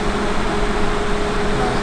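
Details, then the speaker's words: Suburban NT-16se RV forced-air furnace started from the thermostat; blower kicks on with a steady, even fan whoosh and low hum, no rubbing or ticking, normal blower operation. "so then a fans gonna kick on just like that"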